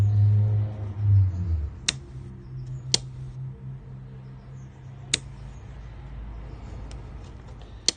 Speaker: but as I turn the switch on the bulb lights off and that is through the relay and if I move this closer you will actually hear the really click